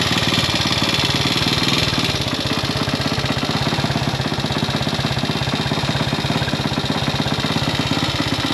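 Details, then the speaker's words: Classic Italian Gilera 124 5V lightweight, fresh off the workbench, warming up on its first proper road run: uneven beat with occasional exhaust pops, running slightly rough. Owner suspects it is only carburation; jetting, plugs and points timing are still to be checked. "uh Popp on it's not running right okay but work in progress yeah it's only carburation"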